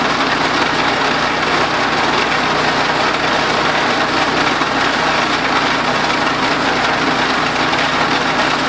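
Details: DR RapidFire PRO-XL log splitter, just back from the shop, engine at full throttle splitting dried cottonwood: loud even roar with a dense metallic buzz throughout; a loose rattle, possibly the muffler (which later failed), not confirmed.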